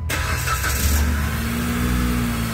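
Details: Dodge Caliber with TIPM fuse-box fuel pump feed fault, restarted just after shutdown; quick catch with a short rev, then a smooth steady idle with the fuel pump working.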